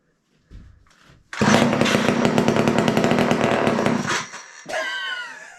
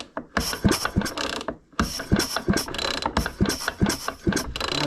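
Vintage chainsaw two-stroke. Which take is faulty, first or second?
first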